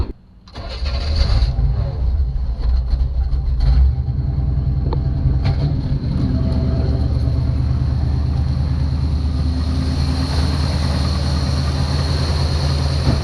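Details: 1966 Chevy truck, start-up checking for leaks; short crank, catches cleanly and settles into a steady, even idle with no misses or knocks, starts and runs fine.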